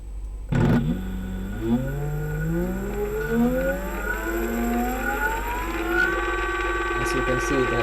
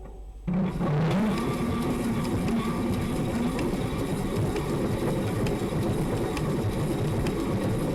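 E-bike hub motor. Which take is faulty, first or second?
second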